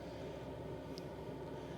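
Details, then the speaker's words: Cheapest Chinese eBay diesel heater installed in a Marvel Thunderstorm twin-bunk caravan, restarted after shutdown without cooldown, firing up faster then settling to setting one (lowest); steady even low combustion roar, no surging or knocking, pump audible, outlet warm; drawing about 2.4 A total; normal running. "it's firing up faster now and then it'll should settle down and go back down to the setting that you choose which we've done at setting one which is the lowest"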